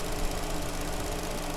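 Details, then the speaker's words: Vauxhall Astra after replacing a broken coil pack that made cylinder 2 misfire: even, steady idle with a smooth low hum, no stumble; engine now running cleanly on all cylinders. "obviously it's made a hell of a difference to the engine and now it's running perfectly fine"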